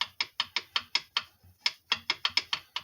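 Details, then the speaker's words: Tecumseh TVS90 engine from a 1984 Toro mower, failed, turned slowly by hand before disassembly: sharp, dry internal clicks about five a second; owner believes this is the knock heard before, cause unconfirmed. "you hear that knocking pretty sure that's what I was hearing"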